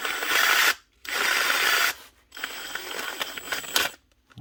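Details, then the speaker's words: Makita DTD154 impact driver, owner suspects gearbox rather than motor: harsh rattly ratcheting and grinding from the nose on each trigger pull; failed front gearbox needle bearing. "Something going on up in here. That doesn't sound right."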